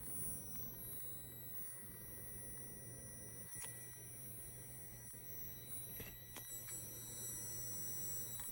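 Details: MSI PC cooling unit: faint, thin high-pitched electronic beeping over low fan hum when its lights turn on, microphone held close to the cooler.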